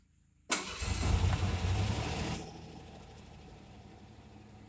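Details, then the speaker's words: Cold start on an 89 GT with a 2.9 engine, not started for about a week. It cranks and catches with a sharp metallic chatter that fades within two seconds into a steady idle once oil reaches the top: brief valvetrain chatter. "you hear that 2.9 chatter when you first started up and just went away that quick so they're notorious for that as soon as that oil gets up there it goes right away"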